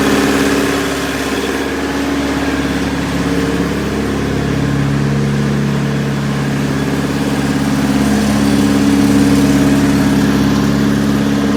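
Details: Perkins four-cylinder diesel in 1980–81 Bobcat 843, injectors reset to crack at 2200, electric fuel pump: steady idle with uneven shaky beat under the exhaust; cylinders balanced per exhaust temps and line-cracking, still rough, cause unclear.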